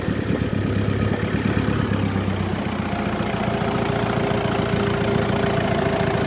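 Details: Mazda WL diesel running after a hard start, fuel system primed with the hand priming pump; steady low clatter at idle, even and continuous with no misses or stumbles. Normal diesel idle.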